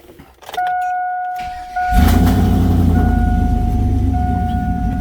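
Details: Chevrolet Silverado after replacing a bad starter (earlier DIY cheap part caused no-crank no-start): brief steady starter whir, then the engine catches and settles into an even, smooth idle, no grinding or clicking.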